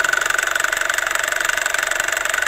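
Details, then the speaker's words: 12-year-old Toyota Camry engine at idle, recorded at the timing chain after overheating and coolant loss; oil smells burnt, temperature gauge mid, 27 °C outside. Fast sharp ticking about sixteen a second, loud and abnormal: timing chain noise. "Yung lagitik na naririnig ko ay nandito po sa mismong engine, dito sa timing chain. So ipaparinig ko po sa inyo itong ingay na to na nanggagaling dito sa may timing chain."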